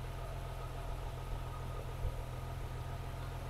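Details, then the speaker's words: BMW E36 M3 straight-six after intake plenum reinstall idles with a deep, uneven rumble and occasional stumble; misfire at idle though fuel trims show no additive correction on either bank; owner suspects vacuum leak, smoke test found none. "I'm not adding any on Bank two so but you can still hear there's a Miss at idle"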